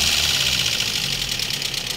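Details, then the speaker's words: Toyota Vios petrol engine after overhaul and oil sludge cleaning, idling and revved: loud, sharp, rapid valve train tapping from uneven, incorrect valve clearances. "mo nga Ah medyo laru-laruin accelerator lakas ng lagitik nito sige"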